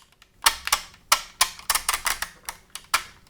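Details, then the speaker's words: Pink PlayStation 2 broken disc drive: uneven sharp clicks and ticks, a few a second, instead of a smooth glide; optical drive laser sled grinding. "That's that's not the sound that it's supposed to make."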